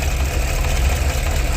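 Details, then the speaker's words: A 2017 Cadillac Escalade gasoline V8 with 126,000 km has a deep, uneven idle with a stumbling beat, misfire counters rising on cylinders 2 and 8, and the engine light on. Plugs, coils and O2 sensors were already replaced. "실화가 올라옵니다 그죠 시라가 올라와요 지금 이러면 일단 2번 쪽이랑 8번 쪽이 문제가 있어 보이고"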